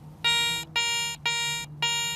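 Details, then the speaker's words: Garrett 300 metal detector air test on an old wheat penny: four clean high-pitched tone bursts about a third of a second each, target ID 84; normal high-tone response. "84, you hear that high tone sound."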